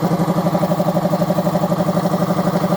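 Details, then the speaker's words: Air compressor running after its motor capacitor leads were rewired correctly (they had been jumbled): steady, even pulsing hum with a mid-pitched drone, no knocks or rattles; runs smoothly and fairly quietly. "And it's not really that loud. Actually, that's one thing I really liked about this compressor is that it's actually pretty quiet."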